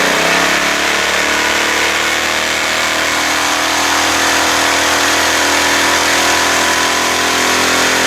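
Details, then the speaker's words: Pressure washer small engine after new pump fitting: screams at steady very high speed with no governor settling, throttle stuck high; linkage spring adjusting RPM to be checked. "how about that power wash it works however you noticed the RPMs are really high huh"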